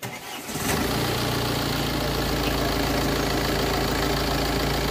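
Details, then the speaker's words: Tata Safari Storme Varicor diesel after engine overhaul, timing belt replacement and cam gear change to correct wrong timing mark: cranks briefly, catches within a second, settles to steady even idle without knocking; timing now correct. "गाड़ी start हो गई है और इस condition में timing थे timing का जो रोग था वह टाइम बिल्कुल सेट है"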